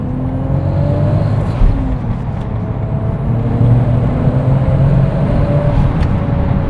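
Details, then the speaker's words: Lexus IS with a JZ turbo engine, driven hard; engine pulls hard with a rising turbo whistle, then fluttering blow-off chatter on throttle lift, repeated twice: normal turbo spool and blow-off. "cum se aude turbina, este exact ca în One Night in Bangkok acolo, foarte mișto."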